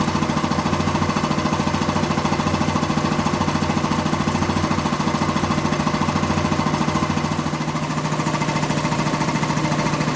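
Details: Quincy 325 air compressor on its final test run after a rebuild (cylinder head cleaned, valves rebuilt, hardened unloader seals replaced): steady, even thumping at about 3.5 beats per second with no knocks or rattles. Normal, healthy running.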